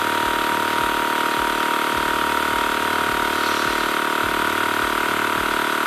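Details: TACKLIFE M1 portable tire inflator on a car tire, targeting 35 psi: buzzing compressor pumping about three strokes a second under a constant airy hiss; air leaking at the inflator hose chuck, tire losing more air than it gains.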